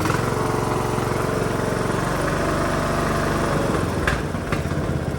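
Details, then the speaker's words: Neglected Poulan 19.5 hp Briggs riding lawn tractor after a carburetor clean, with a weak battery needing replacement and oil change due. Even single-cylinder thump at a steady pace, dropping slightly at the end: normal idle. "see if it'll idle yep all right looks like we're gonna change the oil definitely need a new battery"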